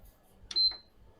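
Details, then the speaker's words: PS5 fat console: single short high beep then silence, no lights, no fan or drive spin-up; beeps but won't power on, traced to a faulty SSD controller. "This console beeps without turning on. No lights. It's not powering on."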